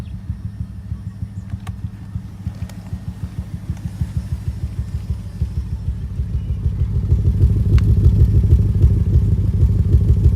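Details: 2005 BMW 650i 4.8 V8, cylinder 5 misfire for a year, worse after two minutes once revs drop; plugs, injectors and coils swapped without change: deep, lumpy idle with regular stumble about three times a second.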